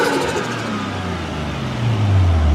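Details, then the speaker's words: Tara's RB25DE+T Neo R34 turbo after an intake modification for the dyno, first start: catches, settles, pitch climbs smoothly when blipped, no rattles or misfires; "sounds better… wicked", healthy and crisp. "How good? That sounds better, eh? That sounds wicked."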